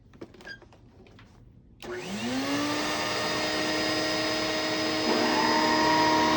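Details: A used vacuum (possibly the Electrolux, dated about 2001) spins up in about a second to a steady high whine over rushing air. It runs loud but even; the owner is unsure whether the loudness is just normal for these Electroluxes.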